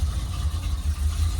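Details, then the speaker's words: Dually pace truck with TBI V8 after a new fuel pump: deep, steady low rumble at idle with an even beat and no misses or knocks; sounds healthy, though owner thinks it may need retiming. "I think we got to retime it, maybe look at a couple other things, but that sounded pretty good."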